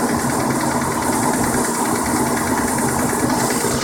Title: Verada engine knocking